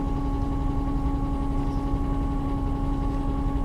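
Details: 1968 VW Type 3 running while warming up: constant steady hum over low engine rumble from the electric fuel pump, foam-wrapped but mounted directly to the frame head, buzzing into the car; owner considers an isolator.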